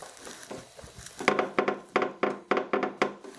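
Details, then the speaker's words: Horizon 7.0AT treadmill after tightening loose platform bolts: short squeaky bursts three or four a second as a rubber plug part moves and rubs; that plug is the squeak source. "don't know if you can hear that on the mic, but when this moves, it makes that rubbing noise, which is the squeak we're hearing."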